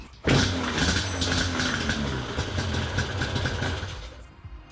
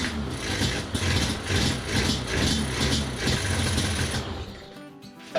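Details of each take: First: Yamaha Banshee 350 two-stroke with non-stock carburettors, air filters refitted and the thumb-throttle electrical switch removed, previously dying off throttle; fires right up into a fairly steady, crackly idle that holds without dying, better than before. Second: Yamaha Banshee 350 two-stroke with non-stock carburetors, after mixture screws reset: ragged, smoky running that dies off within seconds once off throttle; still won't idle, owner suspects throttle safety switch.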